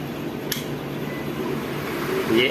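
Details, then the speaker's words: DC pedestal fan that ran on only one speed, after rewiring the speed selector connections, on setting 1 at full speed: steady airy rush over a low, even hum, no knocks or wobble. Normal running. "1 पे full speed पे अभी चल रहा है।"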